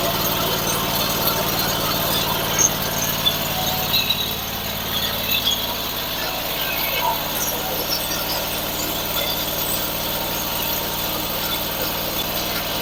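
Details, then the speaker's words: Sawmill engine after replacing a bad bearing, running with shrouds off: steady, even run with constant high whine, no knocking or grinding; sounds 100% better, like new but with a bigger engine; normal running. "I can tell you right now that sounds 100% better actually sounds like it did when it was brand new except it's got a lot bigger engine on it"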